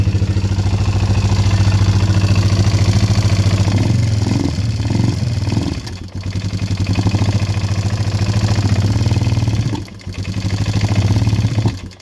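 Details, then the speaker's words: ATV (Kawasaki Bayou 220 or Yamaha Bear Tracker 250) that sat 10 years, just after an oil change: lumpy single with valve tapping and no smoke, bogging and nearly stalling when revved; owner blames the air boot/filter setup; stumbles when revved. "Yeah, she don't like being revved up. I've got the air boot or the filter in it, so that's probably why it's stalling out."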